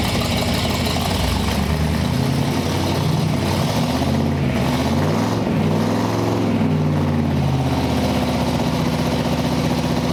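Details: 1958 Chevy Apache truck, V8 with 4-speed manual, running during rejuvenation: catches and settles into a deep, even idle with steady firing, no knocks, ticks or misses; runs healthy.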